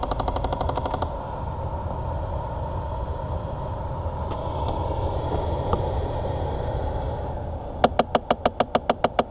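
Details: 2006 Chevy Impala with AC on, recorded under the dash through the open glove box: rapid, steady clicking about four a second over the blower from a failing recirculation door actuator at the right end of the blower.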